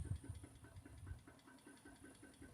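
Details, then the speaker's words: 2006 Dodge Magnum R/T scrapyard car, first start in years: soft rhythmic ticking at four to five beats a second over a low, uneven idle; light engine noise up top, source unclear; car then won't move, brakes possibly locked. "seems to be running okay. There is a little noise up in the engine. I'm not sure what that is."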